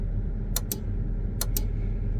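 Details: Versatile 2375 tractor, engine idling: sharp paired turn-signal relay clicks repeat about once a second with no lamps flashing; signal light circuit has no power because its fuses are blown.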